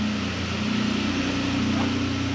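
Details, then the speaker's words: Nissan Frontier V6 with newly fitted Overland exhaust kit and Z1 intake, idling without load; steady low hum, smooth even exhaust note, not overbearing, no drone, rattle or leak: healthy idle. "It's not too loud. It's just that nice little hum. I have to get it out and get some load on it to get a true sound, but so far I'm into the idle, not being too overbearing."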